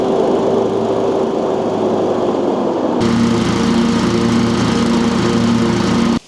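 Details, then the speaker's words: Exmark Metro 36, about 20 years old, with a new spindle and fresh spindle bearings: a steady, high-pitched deck drone with no grinding or squeal. The deck is quiet, though the muffler and rear still rattle. "I have to tell you, with the new spindle bearings in here, this thing sounds brand new in the deck section."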